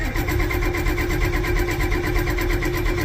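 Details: Ford 7.3 IDI diesel cranking without glow plugs (glow plug relay not clicking, likely disconnected wire): steady starter churn at about one stroke per second with no firing; cranks but won't start.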